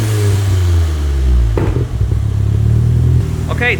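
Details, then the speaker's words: Nissan S13 Sil80 start; firm, even low rumble, picks up cleanly on a throttle blip, no knocks or rattles, never sounded so healthy; normal running. "car never sounded so healthy before to be honest"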